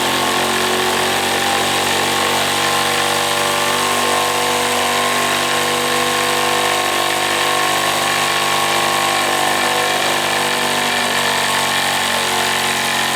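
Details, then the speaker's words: Wilesco D455 tabletop stationary steam engine, at temperature, throttle opened to max RPM after purging condensed water: a fast, even buzzing whir with a steady high pitch and no knocks. It throws oil from its total-loss lubrication. Normal high-speed running. "So yes, you can see what it can do, and it throws oil all over the place when you do that, obviously, because it is a total loss lubrication system. But that's what it's capable of, and it can rev very, very high, as you can see."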